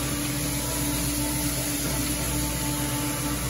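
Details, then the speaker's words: ICE i18 floor scrubber during preventative maintenance, fully charged, brushes in good shape: even, steady motor hum with a smooth airy rush, no knocks or grinding; motor sounds good. "Now, go ahead and power it on. Looks like we got a full charge. Motor sounds good."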